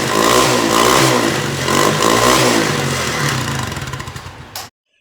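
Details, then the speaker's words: Mini bike small single after a rewelded part was bolted back on: revs up and settles to a steady even beat with no banging, then shuts off; normal running. "So let's start it up. It's gonna be real noisy, but let's see if we can get this thing spinning, shall we?"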